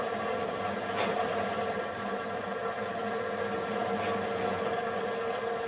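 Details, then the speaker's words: Gingery milling machine running its spindle while not bolted to the bench: steady buzzing drone with rattly edge, excess vibration through the setup; spindle play removed by shim adjustment, now running slightly warm and possibly tight, gibs adjusted. "As you can hear, there's some vibration going on through this setup also."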